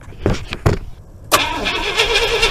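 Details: 1976 IH Scout II Terra 345 V8 with new engine, wires, alternator and starter, stalled roadside: starter cranks slightly slowly on a weakened battery, fuel present but no spark, never fires.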